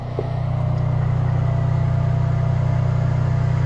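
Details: Antique Cummins 290 diesel for a Brockway project, cold shop: low steady drone, cranking slowly without catching; good oil pressure; owner suspects a bad ground cable and poor battery hook-up and plans to add jumper cables.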